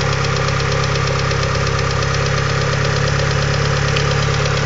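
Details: Mitsubishi 2G DSM engine at idle: fast, light, steady hydraulic lifter ticking above the engine note; later fixed by installing upgraded 3G lifters.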